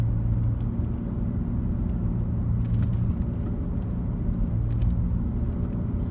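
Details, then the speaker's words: 2004 Chevy Trailblazer driving with the radio off: steady low drone like loud oversized tires, tone changing when the wheel is moved slightly left or right, from worn front hub bearings; fix is replacing both hub bearings. "that's hub bearings you can pick them up on eBay just go ahead and replace them"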